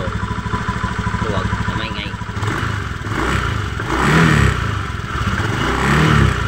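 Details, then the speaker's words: Honda Beat FI v2 scooter revving in uneven surges, loose rattling clatter from the drive side following the throttle; crankcase bearing's copper bushing has spread and come loose, hole enlarged, probably from excessive heat; loose crankcase bearing. "bumuka ung tanso dito bumuka siya lumuwag dito kasi sobrang init siguro"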